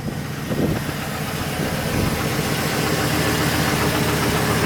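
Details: Saab 9-7x idling after installing a Quantom 340lph fuel pump and drop-in assembly to fix the fuel level sensor, about a quarter tank, checking for leaks: steady, even, smooth low drone, no stumble; running fine.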